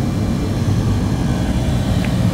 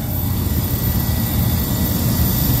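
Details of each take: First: Walk-in freezer at about 23 degrees, found not working: after the digital thermostat and low pressure control start it mid-recharge on the low side, the compressor runs with a steady low hum and even drone, no knocking or chatter, normal compressor running. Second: Walk-in freezer not cooling, at about 23 degrees: loud, heavy, uneven low droning roar from the compressor; suspected internal bypass, suction line warm, sight glass possibly flashing, condenser fans running.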